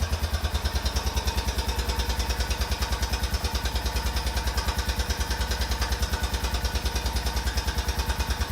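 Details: 2004 Honda Rincon ATV, about 30 seconds after a fully cold start: steady sharp knock about three times a second at idle, which disappears once warm and only returns after cooling.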